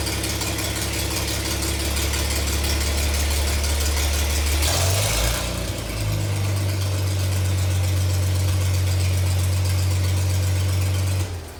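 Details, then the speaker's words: Farmall 706 gas tractor with M&W pistons, after new distributor and spark plugs: low steady idle around 500 rpm, even beat, no misses or knocks; starts and runs better than before; normal idle. "well as you can tell I think one's much better it starts better to that service starts better"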